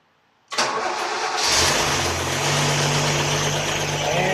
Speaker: she fires up with the key how about that